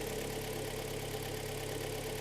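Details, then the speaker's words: 2013 premium-trim car, about 140,000 km, in for a major engine overhaul, cold start on a chilly October day. The petrol engine idles steadily with a faint, dull knock, heard as cylinders four and three knocking, typical of piston slap. "четвёртый слышно долбит четвёртый третий"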